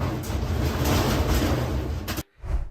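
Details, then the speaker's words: Top-load washer (Whirlpool/Kenmore/Maytag-type) in spin: heavy, uneven banging, thumping and shaking, caused by worn suspension dampening rods (part W10780048); fix is replacing the rods. "if your washer is making this horrible noise"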